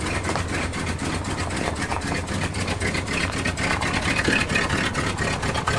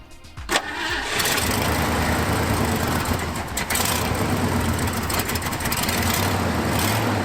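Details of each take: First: 1974 Ford F-250 Highboy V8, carbureted, EGR plate reinstalled and PCV port plugged, cold start without choke manipulation: steady even low burble idle, no hunting or stumbling; running healthy. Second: 1974 Ford F-250 Highboy, carburetor refitted with an extra gasket: engine cranks and catches, then settles into an uneven, lumpy idle with wavering speed, running lean from a suspected vacuum leak; the gasket didn't fix it.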